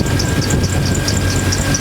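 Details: Jeep 4.0L on restart after a fuel injector leak was diagnosed and the rail reinstalled with no leaks: steady, smooth idle with a deep even rumble and light regular injector ticking; normal idle.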